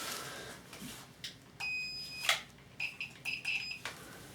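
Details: VW camper TDI engine swap, first cranking after fitting the dual-mass flywheel: short, sharp high beeps continue with no engine sound; oil pressure switch never closes, no oil pressure.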